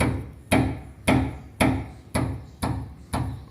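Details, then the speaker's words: Chevrolet Corsa front suspension: sharp metallic knocks about twice a second as a worn, loose sway bar link is struck by hand, the source of the front noise while driving. "Então isso aqui tava, quando eu andava, ficava fazendo um barulho e ficar mexendo aqui, ó."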